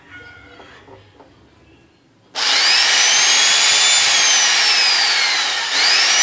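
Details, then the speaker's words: Angle grinder test-run after repair; the fault had been a worn gear in its gearbox: bright, even high-pitched whir spins up cleanly and holds steady with no rattle or grinding; normal running. "Ayun. Diba? Ang ganda ng tunog. So, itong grinder na ito, ang sira, ito pala."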